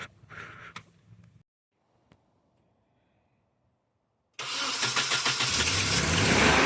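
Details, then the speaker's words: 1993 Nissan 240SX after head gasket job, once an unplugged connector was reconnected: after a quiet gap catches and settles into strong, even idle about 1000 rpm, much quieter, no stumbling; normal idle. "Dude, that thing sounds so good. is idling about a thousand. It sounds a lot quieter."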